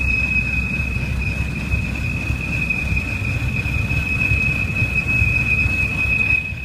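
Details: 2007 BMW 328i automatic; steady piercing whistle over engine and road rumble, occurring randomly when decelerating and at stops, pitch varies with rpm and speed, gone after restart; not belt; others fixed it via cracked valve cover or gasket leak; unconfirmed.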